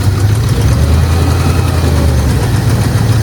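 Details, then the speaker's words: Range Rover P38 V8, diagnosed by seller with a slipped liner, not using coolant: lumpy idle with light tapping from one bank and frequent stumbles, missing a lot but revving up; tap cause unconfirmed. Tapping and misfire at idle. "I don't know how well that comes out in the camera, but it's tapping on this side, which is why it was diagnosed with a slip line."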